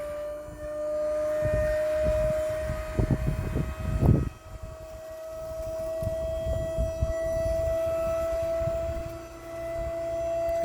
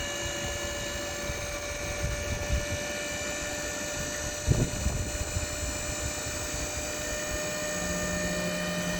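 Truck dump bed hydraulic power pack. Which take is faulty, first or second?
second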